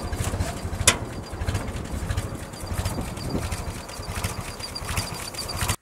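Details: Willys Jeep four-cylinder, built up from a bare rolling chassis, starting after ignition coil and distributor wiring; catches and settles into a steady, even idle with no misses or knocks; normal, healthy running.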